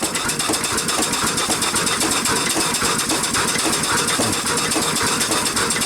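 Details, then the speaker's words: Old engine with rebuilt rings, running beside a steam boiler: a loose, uneven tapping about four per second, following the engine's stroke, over loud steam hiss. The owner suspects the wedge has come loose on the rod, not confirmed. "So, I like this engine. It's a really nice engine. I just don't like that noise."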